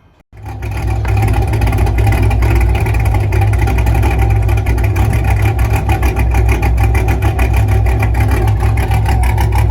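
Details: 5th-gen Camaro V8 after broken-piston repair, DOD/AFM delete and Texas Speed 224R cam, tune already disabling DOD, about half a tank of super fuel added: starts, then settles into a deep, even idle that holds without dying or loading up; normal.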